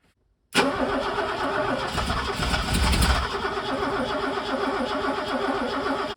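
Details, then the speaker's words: Mercedes W123 coupe, long-abandoned, cranking after injector swaps; steady starter churn about five seconds, never fires; owner suspects two plugs are the problem and is also doubting the fuel distributor. "I honestly don't know maybe the big problem is these two plugs it's just not going to run on the two plugs"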